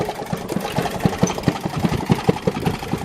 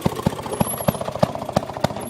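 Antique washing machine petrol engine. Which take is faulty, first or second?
first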